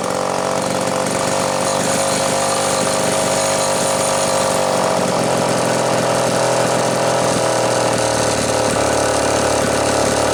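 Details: Homelite Super XL chainsaw after rebuild, final assembly, compression reading satisfactory (new spec roughly 150–160 psi), rings not yet seated: steady high-revving two-stroke buzz, no stumbles or misfires; healthy normal test run.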